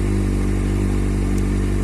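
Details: Kawasaki Z750 with a valve-like tapping traced to leaking exhaust header gaskets, after new gasket rings: even, steady idle with a smooth low beat and no tapping; the engine sounds healthy. Error code 67 is suspected to be an unplugged lambda sensor connector.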